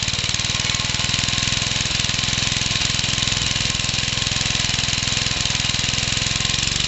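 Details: Briggs-based single-cylinder engine on skids with cleaned carburettor, first run of mixed-parts build: steady idle with sharp, fairly regular knock about 2.5 per second, big end knock as expected, not very smoky.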